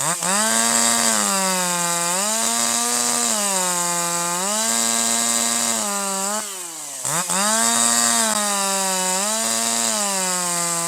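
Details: Older piston-ported chainsaw with H screw at 1.25 turns out: higher RPM, crisp clean rise and fall, slight four-stroking out of the cut, smooth powerful running in the cut, excellent throttle response; high-speed mixture correctly set.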